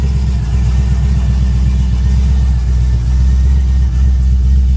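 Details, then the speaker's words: Pontiac G8 V8, unmoved for a while, first start after a battery replacement: a strong, steady low note rises and settles smoothly when blipped, with no knocks or rattles. It runs a little rich with ABS and stability lights on, but sounds normal. "Oh yeah. Start it up. [Music] It sounds just like it used to."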